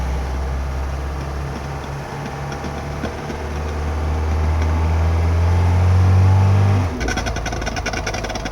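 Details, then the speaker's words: 1972 Mercedes 220D W115: low droning growl rising with road speed after a short drive on a newly installed, extended driveshaft; owner suspects driveshaft made too long, flex disc installation or broken speedo cable; drivetrain grinding noise, cause unconfirmed. "quite apparent that this noise is coming from the drive shaft that I just installed."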